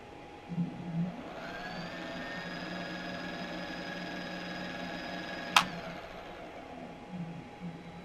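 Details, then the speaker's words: Backfire Ranger X1 hub motor after replacing the rear tire, spin test on the bench: steady whir with a faint low buzz at low speed that smooths out as the wheel spins up; bearing seems tight. "that vibration when you first my first nerves going that's the low speed and again that's bearing seems tight"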